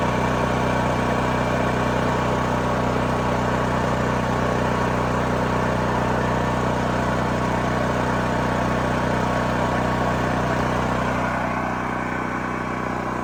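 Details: New Holland Agriculture 6500 W generator, engine freed after seizing from running low on oil; restarted with valve cover back on, spark plug installed, fresh gas, choke pulled. Constant drone at fixed governed speed, no knocking, hunting or misfires; running normally.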